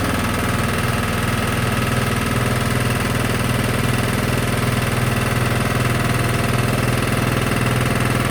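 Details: Sykes GP80 water pump, Lister TR1 single-cylinder diesel, cheap auction buy, first run: loud steady thud about two beats a second, even, loud with something rattling on the floor; normal idle, charging at 14 V.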